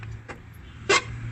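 A brief harsh creak as the car door swings, over a low background hum, from dry hinges.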